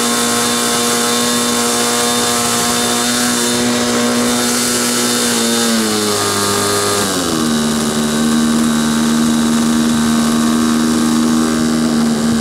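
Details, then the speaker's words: SIG Kadet LT-40 model aircraft engine during break-in: buzzy two-stroke drone, revs sagging then recovering; needle valve too rich, later backed out about one and a half turns, which was too much, and settled on needle vertical. "okay that was obviously too rich start it up again so we we um backed it out to like one and a half that was too much"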